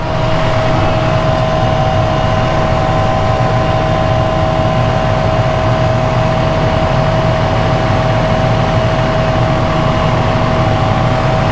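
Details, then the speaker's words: Newly replaced fuel transfer pump on an Agrifac, moving diesel into the fuel tank once the level rises high enough; it transferred 200 litres. A steady mid-pitched hum rides over the engine drone with no surging or rattle. Normal pump operation. "Gotta wait for the level to get high enough before it starts to transfer it over to the fuel tank there."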